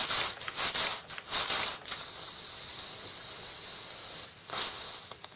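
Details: 110-year-old Stevens model steam engine on steam from an undersized test boiler: quick, light chuffs with hiss, around eighty a minute and slightly uneven; running freely and well.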